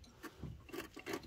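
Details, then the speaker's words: Brake disc replacement, new disc on the hub turned by hand: faint dry scrapes repeat about three times a second; owner says it is just scratching from old crust but fears the transmission is damaged. "so don't worry too much about that noise that's just scratching from the old crust"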